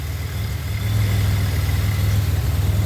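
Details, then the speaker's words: Warm idle after heater core and intercooler install, water temp 184, intake air temp 69, 2.9 pulley, PCV blocked off with breather; smooth, even idle with steady pulse, no misses, ticks or whine, no leaks; healthy warm engine. "Everything's plumbed. No leaks. Sounds good."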